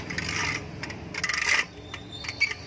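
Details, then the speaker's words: Indo 230 V 50 Hz ceiling fan running with bearing noise: intermittent dry scraping and high chirps over a faint hum, fairly loud; fixed without replacing the bearing. "आज हम जानेंगे कि इसमें जब वॉइस आती है उसको कैसे सेट करते हैं। ये देखिए इसमें थोड़ी सी अजीबोगरीब वॉइस आ रही है, इस तरह से कुछ वॉइस आ रही"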